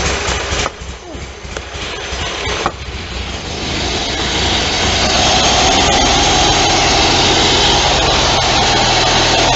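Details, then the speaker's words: Engine (apparently the 5216) after a gasket found upside down was flipped and sprayed out; it already has new plugs, coil wires and fuel line. Warm restart, first run 3-4 hours earlier: rough sputter a few seconds, then steady, fast, even run; normal. "So the top went back on, and sure enough, she's a runner."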